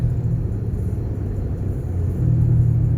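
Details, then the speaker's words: 2007 Chevy Impala on test drive after sitting a month or two: low droning hum under road rumble that swells at speed; owner suspects a wheel bearing, likely front passenger, possibly tire noise. "It does sound like there's a wheel bearing noise. Could be tire noise, but I'll see if I can identify it."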